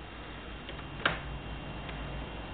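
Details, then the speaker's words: Battery management system with a cell board disturbed so the system goes offline and shows a cell one error: faint, sparse clicking over a low hum is the audible alarm. "and uh in the background you can hear a slight clicking and that's the audible uh audible alarm"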